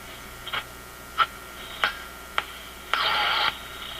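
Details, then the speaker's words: Zenith G615 tube radio (chassis 6G05), six tubes, transformerless, first power-up with no antenna: scattered crackles, clicks and a short hiss burst as it picks up close-range noise sources; receiver appears to be working. "There's no antenna, so it's picking up the close range noise sources. Let's put an antenna on it. But it sure sounds like it's working to me."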